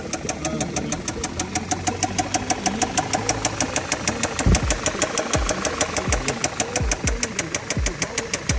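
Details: Audi bought unseen: sharp metallic ticks at roughly twelve to fifteen per second over a rough idle, with slower heavy thumps, after the engine has warmed up. A clear engine knock of unknown cause; the engine may need work.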